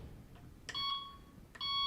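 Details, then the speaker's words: Delkim Txi-D v2 bite alarm: two short, bright, high double-pitched beeps about a second apart from single line taps, which the alarm's filter setting can be set to ignore unless activation lasts about 4 seconds. "so if it's going beep, beep, beep as you're tapping the line, what you can do is, you see I've set D and D there, it is ignoring those single beeps,"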